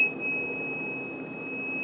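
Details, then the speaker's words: Solar-system power inverter with battery input sagging to about 10.5–10.6 V, batteries expected at 13.5 V: continuous high-pitched beep over a quiet hum; undervoltage alarm, owner suspects the inverter rather than the batteries. "it's at 10 point 6 volts according this this is the beep I was talking about that's why I'm thinking it's because it's the inverter not the batteries"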